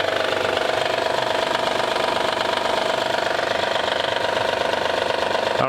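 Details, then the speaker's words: Flood-damaged Honda Accord at idle: fast even rattle about two per second; belt-driven accessory suspected, but rattle persists with serpentine belt removed, source unknown. "what it is it don't sound good get that belt off and see what happens"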